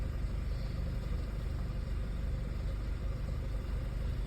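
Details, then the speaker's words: Audi A4 with an ongoing rough-idle and stalling problem, cause unknown after many parts were changed; low, even rumble with a steady firing beat and no stumbles or misses; idling smoothly at this moment. "see it's idland and smooth now"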